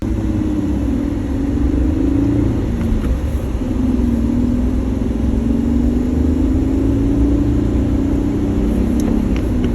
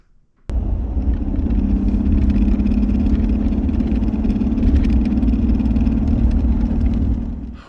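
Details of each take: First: 2013 Jeep Wrangler JK 6-speed manual driving after fix: steady cabin drone and road rumble, no more shift knob rattle; rattle inside shifter likely cured with silicone before refitting new knob. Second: 2013 Jeep Wrangler JK with a six-speed manual, driving on the road; the loose shift knob buzzes against its lever in a fast, uneven rattle over the road drone. The problem was found inside the shifter.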